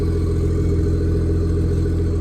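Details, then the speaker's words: BMW G30 540i after new spark plugs, not yet warm and idling high: a steady, even low rumble with no putt-putt misfire; the slight noise is only the exhaust moving. "that's nothing but the little oh that little noise is the exhaust moving room back there"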